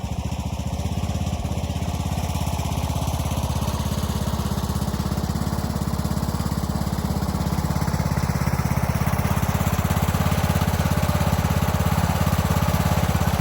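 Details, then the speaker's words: Craftsman YT3000 riding mower with donor replacement engine and carb, after oil change, deck remounted, blades engaged: even, steady firing beat with no misses or knocks, picking up slightly at the end; runs cleanly, transmission solid. "right, well, it seems like it's running pretty well. Blades engage, transmission feels nice and solid on here."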